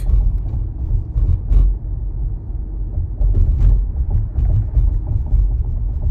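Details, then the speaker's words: Tesla Model Y driving over uneven road: brief buzzy rattles over road rumble from the triple-camera/rear-view mirror housing, whose clip sits loose and leaves a gap against the glass. Problem returned after front windshield replacement. "as you can hear there is a Ral noise from a Tesla Moto white triple camera area I had this issue before they fixed it but recently I replaced my front windshield this problem came back"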